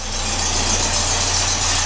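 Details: 1967 Beetle after a pinched starter signal wire was repaired with a new connector and heat shrink: a steady, even idle with a smooth low hum and no misses or knocks. The engine starts and runs cleanly.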